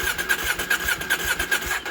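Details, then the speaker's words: KTM 790 Adventure after MAP sensor replacement and Boosterplug removal, started once then failed: starter spins with quick, even cranking pulses for about two seconds then stops without firing; cranks but won't start, MAP sensor evidently not the fix. "oh look at that no it doesn't want to start oh my god what the hell"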